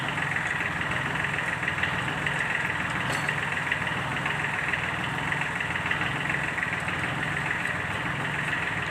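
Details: Sunshine L1-255 tractor with D1462-TV diesel at idle, before repair: a rough, uneven clatter about once a second through a steady idle, an internal engine fault; fixed by replacing the valve seat and piston rings.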